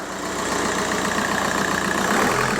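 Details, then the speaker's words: VW Golf Mk4 PD130 diesel after injector loom replacement and EGR valve refit: steady, even idle clatter, no misses or knocks; no vibration, running just like it should; normal idle. "I'm sat inside the shed and there's there's no vibration it's it's running just like it should run it's a pleasant place to be"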